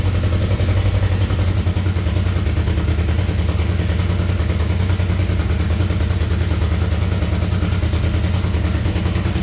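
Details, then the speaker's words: Damaged Suzuki GS500 parts bike (bent forks, broken gauge cover), just started with the clutch held: an even, steady twin-cylinder idle with a regular low beat, no misfires or knocks, smoother than the other GS500. A normal idle. "you can see it starts right up this engine runs even smoother than that engine"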